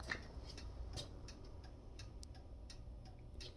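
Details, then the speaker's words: 1951 Chevrolet Styleline Deluxe with Powerglide transmission, rewired to 12 volts with new bulbs: crisp regular turn signal/hazard flasher ticking two to three times a second in a garage, working normally again. "you can hear that flasher going which is actually nice to have again everything burnt up as soon as I went to 12 volts"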